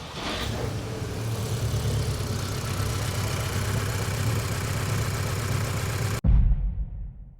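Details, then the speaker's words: Mk2 Audi TT, BWA petrol engine: rough, shaking idle with uneven thumps from a bad misfire, one cylinder not firing; also logs P2177 bank 1 lean, and the owner suspects a faulty fuel injector. "the TT has a horrendous misfire which means one of these four cylinders isn't firing as a should be and because of that it's causing the car to run like"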